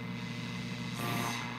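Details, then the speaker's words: Rockseed RS-310P 0–30 V, 0–10 A programmable switching bench power supply powering a converted car radio: on switch-on, radio hiss, low hum and faint whistling carriers replace the stations. Heavy RFI from the supply wipes out reception. "oh right away that doesn't sound good can't you hear that radio station this thing is really putting out a lot of rfi and uh not acceptable"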